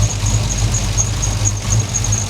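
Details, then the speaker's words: Idling engine whose MAP sensor had come disconnected, now reconnected (ping-like knock gone): thin, high-pitched continuous belt squeal because coolant got on the belt; rear main seal still leaking oil. "And now I got a squeaky belt because I got coolant all over it and I'm still leaking oil from my rear main seal."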